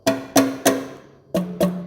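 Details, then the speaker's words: 1935 John Deere BO valve worked by hand (first start in 7 years went badly): six dull wooden thuds with no crisp snap-back; the valve spring has no tension left, a new spring is coming, and the pushrod is bent. "hear how that that dull thud that's because she ain't got no spring left she is sprung so got a new spring coming"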